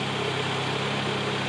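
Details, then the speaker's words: 1995 Honda Prelude Special Edition with new NGK wires and a new distributor cap: a smooth, even purr at steady idle with no ticking. A clean-running engine at normal idle. "look at the engine and here how she purrs very nicely no ticking it's really a super clean running engine"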